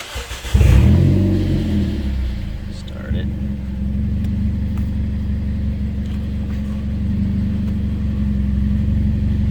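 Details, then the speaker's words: Front-wheel-drive car raised with wheels turned, engine running: uneven popping clicks about four per second, worse the further the wheel turns; CV axles suspected, then found completely split on inspection. "it oh yeah not sure if your camera picked that up but yeah it's popping pretty good i'm gonna go ahead and just i can go and probably assume that it's the axles"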